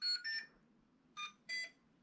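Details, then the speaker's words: Electric paramotor build with T-Motor motors: two quick high beeps, a gap, then two more, sounded through the motors by the speed controllers. ESC ready-to-run beep. "but that now is that that noise means that it's it's ready to run"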